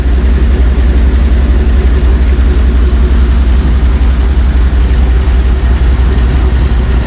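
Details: Jeep ZJ Grand Cherokee 5.2 V8 after water pump replacement, warm with the thermostat now open: deep, even, steady idle rumble, no knocks, ticks or squeals; healthy.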